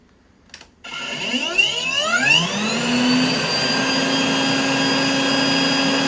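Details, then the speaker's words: Rainbow E2 Gold vacuum cleaner after motor rebuild (parts washed, lower bearing repacked): motor spins up over about two seconds to steady clean high whine, no grinding or rattle, less vibration than before; running normally. "it sounds a lot better it sounds like it should now and it also the the main unit doesn't vibrate as much anymore"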